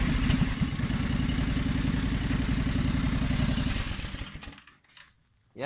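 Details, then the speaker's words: John Deere 425 during restoration, on a new battery after the old one died: starts and settles into an even steady putter of about four beats a second, then fades out; runs really good, normal start and idle. "runs really good, like I told you in my last video, but the battery died."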